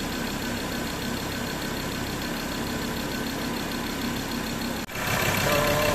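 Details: Mazda BT-50 3.2L diesel that cranked but wouldn't start from a failed camshaft position sensor: engine catches after a brief dip and settles into a steady, even idle with no knocks or misses, running normally.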